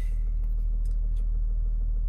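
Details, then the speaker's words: 2006 Mercedes CLK 320 3.0 V6 diesel (OM642) after repair for limp mode fault 2513-1, no faults: steady even low rumble, no knocks, misses or hunting; idling smoothly. "Now just idling nicely now."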